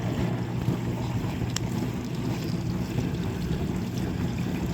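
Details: Dishwasher that owner reported wouldn't start; low even motor hum with water swishing and a faint click, no grinding or stalling, wash cycle starts normally. Cause was user error: customer unaware of the sequence of operation.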